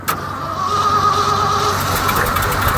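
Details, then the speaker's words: Old Ford F-600 truck at -22°F, frost on choke flap: engine cranks with steady labouring chug but never catches; owner says the fuel is frozen on one side of the tank. "The fuel in here uh is uh definitely defying gravity right now. It's kind of all frozen on this side of the tank."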